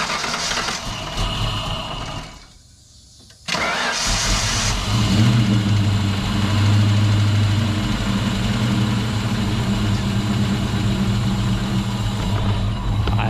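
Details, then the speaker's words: Wrecked SN95 Ford Mustang first start after sitting, charged borrowed battery, fresh fuel: cranks, catches and settles into a lumpy idle with quick bad tapping from the top end, probably lifter tick. "It's got some really bad tap in the top. I don't know if you guys can hear that or not, but it's tapping really bad."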